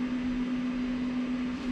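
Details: Computer power supply, removed to the workbench and switched on: a steady low hum with a constant tone and faint hiss while smoke comes out; the power supply is failing and burning inside.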